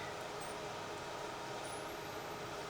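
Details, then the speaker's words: Nikon L35AF compact camera under repair (stuck shutter, power faults, continuous shooting): a thin, very high whine climbs steadily in pitch over about a second under background hiss as the flash capacitor recharges; the ready light then shows full charge. "we just hear the capacitor recharge yeah oh this light is on and showing us that the capacitor is fully charged"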